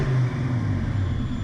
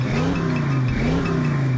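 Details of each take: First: Fox-body Ford Mustang, mass air: with the BAP sensor hooked to vacuum, low uneven rumble sags and stutters instead of climbing cleanly when revved; the sensor must not be connected to vacuum on a mass air car. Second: Ford Foxbody Mustang mass air V8 after a new regulator and with the BAP sensor unplugged from vacuum, revving cleanly through quick throttle blips without stumble or hesitation; a whistle remains; normal revving.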